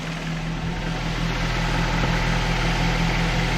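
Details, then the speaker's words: 2014 Nissan Rogue after replacing VVT oil solenoids for a skipping, sputtering misfire-like start: even, steady low idle with smooth unbroken hum, no skips or stumbles; normal idle after repair, no oil leaks. "you can see them down there it sounds good now"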